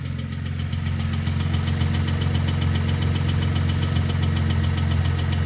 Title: 2013 Ford Flex Ecoboost engine knock noise